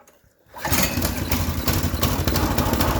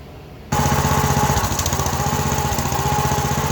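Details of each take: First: Honda GX-series small engine after sealing a large intake air leak that caused hard starting and rough running: silence, then catches at once on choke and settles into a steady, even run; normal start. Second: Honda GX small engine that starts hard and runs rough, brake clean sprayed around the carburetor-to-head gaskets and plastic plate: single cylinder chugs unevenly, stumbles and dies; a vacuum leak at that mating surface.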